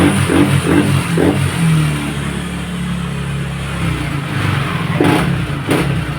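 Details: Yamaha Nmax All New v.2, after repairs for stumbling on take-off and stalling when accelerating (electrical fault): the engine revs up and settles cleanly with no stumble, misfire or stall, and the sticky throttle is fixed.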